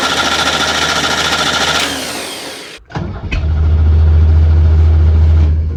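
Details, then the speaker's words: 1970 International Harvester Scout 800A, first start after decades: runs a few seconds, dies, then catches into a rough idle and won't stay running; owner attributes it to a ratty wiring harness needing full replacement. "She just won't stay running."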